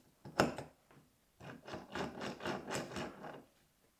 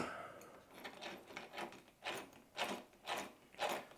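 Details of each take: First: Vitavon differential being shimmed for a 30° North, turned by hand with a shim fitted to push the diff toward the pinion: uneven raspy rubbing in bursts; ring and pinion mesh too tight, shimmed too hard. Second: Vitavon differential for a 30° North, turned by hand after two shims (0.3 and 0.5) push the diff forward: soft, even whirring, no grinding or clicking, almost no play; smooth, correct gear mesh.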